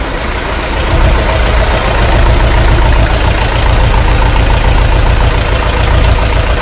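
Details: International TD-6 crawler, revived after 11 years sitting rusted stuck, running on diesel after gas start, following the #4 cylinder misfire fix. Steady, low chug holding even and smooth, no misses or knocks: healthy idle.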